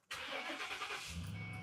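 A brief crank, then it catches within a second and settles into a smooth, even idle; a healthy quick start.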